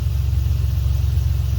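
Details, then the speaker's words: 2003 Dodge Ram 1500 pickup running after a worn-out fuel pump was replaced: steady, even low rumble with no stumble or misses; truck fired right up, no leaks from the pump. "So no leaks from the pump. Truck fired right up."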